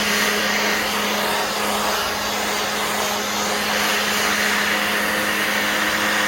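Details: Black+Decker 20V cordless blower/sweeper running on a new battery: a steady airy rush with a constant mid-pitched motor hum and no surging or dropouts; the blower runs strong and even.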